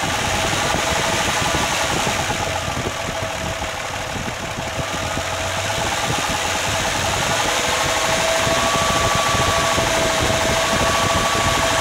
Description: Engine knock in my 1997 lx450. Trying to determine if it's a rod bearing, or something else. Sounds near cyl 2 or 3